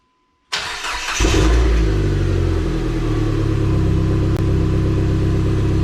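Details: Restored Dodge SRT-4 during final reassembly check, before test drive: quick crank, catches right away with a short rev, then even steady idle with no knocks or ticks; normal start and idle.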